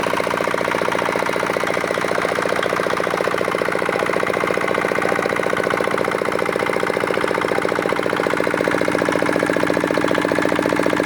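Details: Repaired old, modified Chinese R180 single-cylinder diesel for wood splitting, previously bearing knock/seizing despite crankshaft replacement: steady, even thump at about two and a half beats per second, no knocks or misses; runs healthy.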